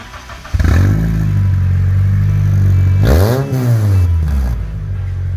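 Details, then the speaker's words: Honda CR-V being stripped for weight, first start without an exhaust: engine catches after a second, settles into a loud, raw, blaring idle, then revs hard and drops back; open exhaust, exhaust removed. "this will be the first start without an exhaust so I'm going to hand you over to Jackson and we'll start it up"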